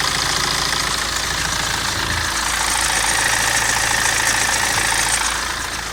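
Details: BMW 116d N47 diesel at idle: light, fairly regular metallic rattle about three or four a second over the idle; timing chain suspected, unconfirmed.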